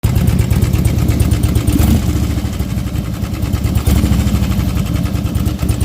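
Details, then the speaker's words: Harley-Davidson Twin Cam 88 V-twin, warm: uneven fluttering tick-knock riding over the firing beat, like piston slap; cause unknown, owner suspects cam chain tensioners (previous owner says they were replaced) or lifters. "so it was like a fluttering knocking piston slap is a weird noise I've never heard"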